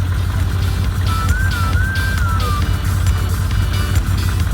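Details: 2015 Can-Am Commander at idle after fixing a loose clutch that rattled near the driver-side airbox, nut refitted with blue thread lock: steady, deep idle with no rattle, under background music.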